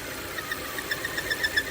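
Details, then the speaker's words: 2017 Volvo XC60 at idle with codes P0507 (idle rpm higher than expected) and P0171 (lean bank 1), rpm surging: constant airy hiss with squeaky chirps that grow louder when an opening is closed off; vacuum leak found at PCV area. "When I close it, see that noise increase. Something leaking right here. I can feel it. Air leak."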